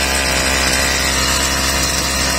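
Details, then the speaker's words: Stihl brushcutter after repair, oil-soaked air filter found blocking air and choke opened: high steady two-stroke buzz at even speed, no stumbling or surging; running perfectly, carburetor screws still need slight adjustment. "Plyn ide, takže ideme na to. Takže ako je počuť, kosačka nám ide perfektne,"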